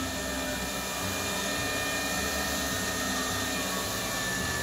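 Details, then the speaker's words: Cotton candy machine test before shipping, spinner motor at full speed: steady, high whirring with even pitch and no scraping or knocking; motor runs smoothly and normally. "Selanjutnya kita tes untuk putarannya ya. Kita tes untuk putarannya. Kita kasih full. Nah, untuk suaranya seperti ini, halus."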